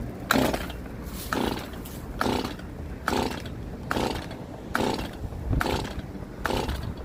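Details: Stihl MS171 chainsaw test run after the oiler repair. Misused chain brake had melted the plastic around the brake band and the worm gear, which was replaced with a new OEM part; filter refitted. Revs in steady bursts about once a second, pulling cleanly.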